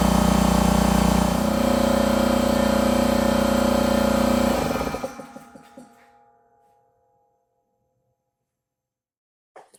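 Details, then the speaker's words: Husky 33-gallon air compressor C331H after pressure switch replacement: motor hums steadily under load, then cuts out cleanly at pressure and spins down; previously would not shut off, now normal. "well there you saw it it's now shutting off fine where before it would just keep on running so cut off"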